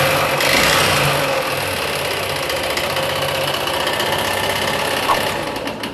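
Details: Yamaha Fazer 150 motorcycle ridden with low oil: a fast, rattly clatter of about four knocks per second over the idle; top-end engine knock from oil starvation, piston and rings suspected.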